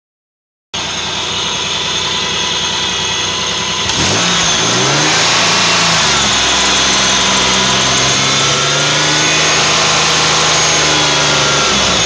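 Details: Mercury Villager petrol engine running: a loud, raspy hiss and puffing over the idle from an exhaust leak behind the engine.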